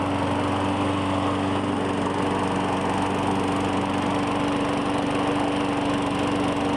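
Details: 2017 Murray 21" mower, Briggs & Stratton 450E, after cleaning the clogged plastic carburetor's brass inlet: steady even single-cylinder buzz, no surging or misses; normal running, no smoke.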